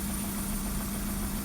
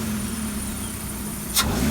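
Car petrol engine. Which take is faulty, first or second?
first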